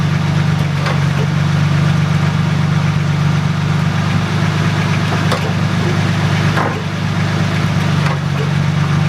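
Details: Toyota Supra idling after four months of winter storage: steady, even low idle with a smooth continuous hum and no knocks or stumbles; running normally, though an unexplained warning light shows.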